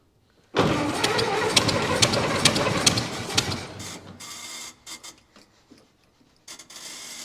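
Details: 1924 (also called 1925) Ford Model T, unrun for many years, primed three times, choke off, ignition on battery, wheels off ground: starter churns about three seconds with no firing, then stops and rattles; cranks without starting, flooded plugs.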